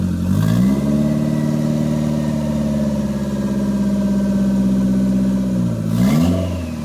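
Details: Toyota MR2 with Gen5 engine swapped in from a Caldina, first start with no exhaust fitted: loud raw unsilenced engine climbs smoothly in pitch, holds, drops and picks up again cleanly, no misses; normal free revving.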